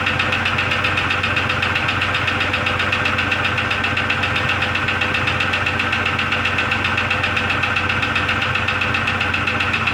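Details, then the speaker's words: 2002 Jeep Grand Cherokee Laredo, started to warm up; runs better after a new PCV valve, hose and brake booster check valve, but a light, fast metallic pinging about four per second rides over the steady idle; knock source unknown. "i'm gonna go ahead and start the engine just so it'll warm up and uh you'll be able to hear the ping ping ping sound"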